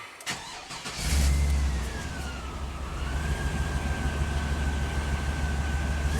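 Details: 2002 Chevy 2500HD after a newer-style electronic throttle body retrofit for reduced power P1515, no codes present: engine cranks, catches at once, revs up with a rising tone, settles to a steady low idle; normal start and rev.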